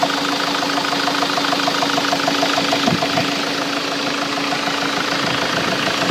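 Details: Ford Mk7 Transit diesel at idle: steady tick-knock about three per second riding over the engine note; engine knock present, cause unknown.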